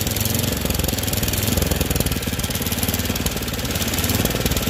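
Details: Troy-Bilt Storm 24-inch snowblower after clearing the air vent, adjusting the float tab and fitting a new spark plug: fast, even single-cylinder putter holding steady speed without surging or sputtering; running properly.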